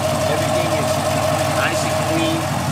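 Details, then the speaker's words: V8 with Speed Engineering long-tube LT headers after one year of use, fitted with GM exhaust manifold gaskets. Even, smooth idle rumble with no ticking, chatter or puffing; the headers are sealing with no leaks. "motor but as y'all can hear there is literally no chatter"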